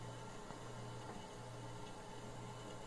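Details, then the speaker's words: Refrigerator running with a steady low hum and soft bubbling, rain-like hiss: normal refrigerant gas circulating through the freezer coils to make ice, not a leak. "maioria que vocês estão vendo isso aqui é barulho do gás circulando dentro da colméia dentro do congelador ou freezer para poder criar o gelo"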